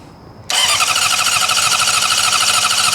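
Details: 2005 Honda CBR600RR after fuel pump replacement: starter cranks steadily at about 200 rpm but engine never catches; ECU, crank and cam sensors confirmed working via injector pulse test light, crank-no-start traced to no fuel pressure.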